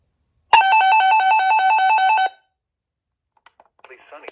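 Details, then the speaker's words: RadioShack 12-247A weather radio after its busted speaker was replaced with one salvaged from a 12-240, playing the weekly alert test: a clean, loud, steady alert tone with no rattle. Normal. "So, here's what it sounds like through tonight."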